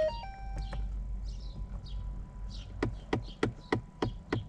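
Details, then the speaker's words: 2012–2018 Ford Fiesta, passenger side under the dash: sharp dry ticks about three times a second then stopping when A/C or recirculation is operated; recirculation blend door actuator clicking, needing replacement. "so it's kind of like a tapping noise coming from the passenger side here under the dash and that's going to have to do with you know when you turn the a air on or turn it"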